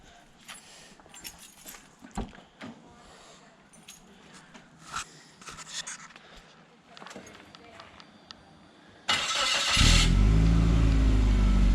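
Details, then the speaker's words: Turbo Suzuki Vitara running 4 psi before an aftermarket ECU is installed, just after finishing the exhaust from dump pipe to muffler into the original exhaust; cranks and catches, settling into a strong steady idle; healthy start. "beautiful rev it for a little bit of a note that's good"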